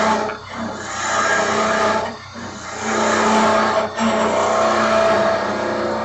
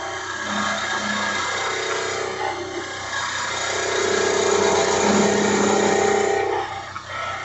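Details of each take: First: Woodturning lathe turning a mallet with a skew: rough buzzing hum over the lathe whir as the workpiece vibrates and chatters against the tool; a hand on the back of the work damps the vibration. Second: Woodturning a mallet with one hand supporting the back of the tool to stop vibration: an even, continuous hiss of the tool cutting the spinning wood, with no chatter.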